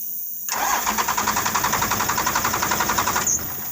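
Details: First-gen diesel truck no-restart, key hit after checking connections: starter spins about four even beats a second for nearly three seconds, then drops out without firing.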